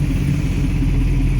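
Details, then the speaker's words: Chevrolet Colorado with V8 swap, mid-tuning: deep V8 idle with slightly uneven, lumpy pulse; running a bit rough during idle relearn after a throttle body clean. "So it's kind of doing a idle relearn right now after doing a throttle clean. So she's running a little rough at the moment, just at idle."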